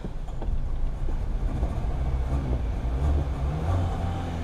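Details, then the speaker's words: 2007 Pontiac Vibe right after fuel pump assembly replacement, which was done for intermittent no-start: smooth, deep, even engine rumble just after start-up with no catches, surges or misfires; the pump is audible running, no leaks, running properly. "still trying to get fuel up there there she's going let run there for a second I can hear the pump running that's always good no leaks"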